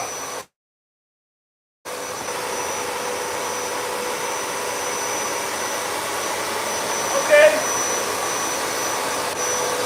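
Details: Royal shampooer, upright use after being cleaned up: steady, even motor hum with an airy rush, no surging or knocking; runs normally, though a pump button had been accidentally switched off so no water came.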